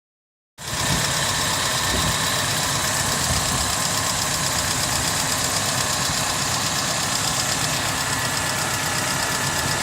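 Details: Mercedes M111 engine at idle: even idle with a busy, somewhat irregular knocking of a few beats per second, loud against the engine note; engine knock, cause suspected, not confirmed.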